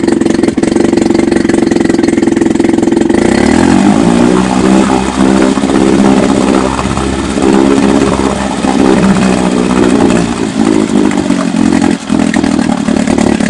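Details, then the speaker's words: Chrysler Sailor 180 outboard, about 7.5 hp, already warmed up, in a test tank in neutral: catches, then settles into a steady, even idle with no knocks or misses; healthy. "let's start it right at this right in neutral that's the idle speed"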